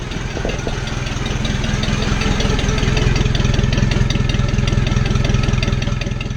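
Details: Ford 600-series (640) tractor abandoned a decade, after new intake/exhaust manifold and vertical exhaust installed: steady, even thump at roughly 160 beats a minute, no knocks or misses; healthy idle.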